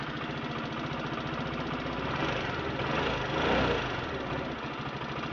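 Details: Chinese scooter single-cylinder engine from a wrecked scooter, bench-tested with a simple homemade CDI harness and started using cables: a steady puttering idle, firing evenly with no knocks or rattles; normal idle.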